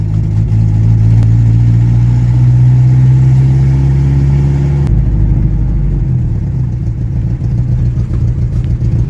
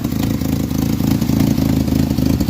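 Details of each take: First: 1986 Jeep Comanche 2.5L four-cylinder, cold idle: deep uneven lope; misfire owner assumes is cylinder 2. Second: 1986 Jeep Comanche 2.5L four-cylinder, 4-speed 4WD, which had been misfiring when cold, suspected on cylinder 2: now idles with a steady, even low thrum, running smoother; normal idle.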